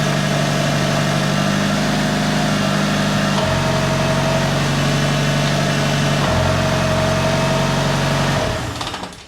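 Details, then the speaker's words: Mitsubishi Evo 5 after installing ACT twin-disc clutch, transmission oil not yet added: clean start into a smooth, even idle with steady hum, no clutch-area noise. "Next step is to turn it on and see if it's still making that noise."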